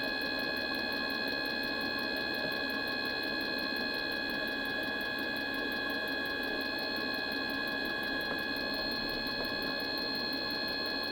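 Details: Mikuni diesel heater that won't start: light quick pump ticking about three times a second over a faint hum, and no burner roar ever builds; the heater isn't lighting.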